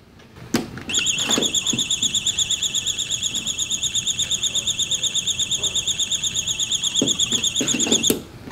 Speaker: uh you will hear a buzzing sound once this comes off cuz there's a little button that is on the back of the actual reader